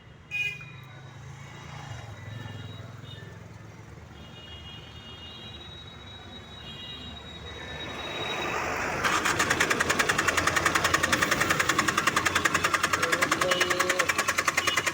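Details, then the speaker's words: Tata Indigo ECS Dicor diesel, cranking during injector back-leakage test on cylinders 1–3: starter spins fast and evenly for several seconds without catching; hard-starting complaint, no immobilizer in key. "चलिए गाड़ी start कीजिए driver साहब, गाड़ी start कीजिए। गाड़ी round ले रहा है, गाड़ी राउंड ले रहा है।"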